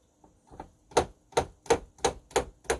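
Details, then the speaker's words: Nektar Panorama T6 MIDI controller played with sound off, on an unmodified octave: sharp plastic clacks about three per second as keys are struck and spring back onto hard stops; noisy key release before the softening-strip mod. "so all you're doing is listening to the the clicking of the keyboard so you get this kind of"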